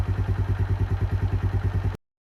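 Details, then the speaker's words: Keeway 125cc with Suzuki GN/GS engine, running after a replaced battery cured the no-start: even, steady thump about eight times a second, no knocks or ticks on top; clean, healthy single-cylinder idle. "so I was really happy with that sounds pretty healthy no engine knocks no nothing"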